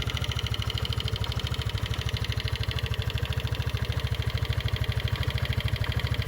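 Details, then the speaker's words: Genuine Rattler 200i scooter (168.9cc, over 800 miles in its first month) at constant speed: steady fast low thumping with a metallic rattle on top. The owner calls it a noisy, clunky-sounding CVT; cause unknown. "this is a noisy clunky sounding cvto"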